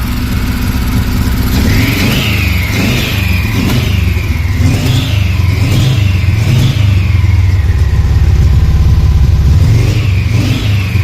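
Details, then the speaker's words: VW T3 Combi with swapped Subaru turbo engine, freshly started and untuned: repeated hand throttle blips over a rough lumpy idle running "like a TDI", fuel smell, running too rich. "Ça tourne comme un TDI mais ça tourne. Pourquoi comme un TDI? Ça sent l'essence là? Ah, Trop riche?"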